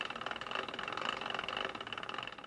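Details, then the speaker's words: Jeep Gladiator Dana 44 front axle, with the wheel spun without rotor or caliper after a new U-joint and axle nut torqued to 100 ft-lb: quick light ticks repeat with wheel rotation and fade as it slows, and the ticking is still present. "See if this ticking noise went away. Well, obviously, I didn't get rid of my ticking noise."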